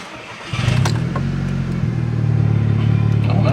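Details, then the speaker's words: Seat Leon Cupra with 129,000 miles, bought blind from a salvage auction, on its first start checked for knocking: it cranks and catches cleanly, then runs evenly through light throttle blips with no knocking or ticking. A healthy start. "no, that sounds good. Sounds alright. A few little revs."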